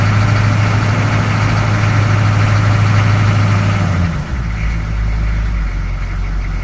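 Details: 6.2 diesel rough idle after long cranking and smoke on startup: uneven, lumpy beat of about three pulses a second that wavers and stumbles; cause unconfirmed, fuel filter replacement planned as possible fix.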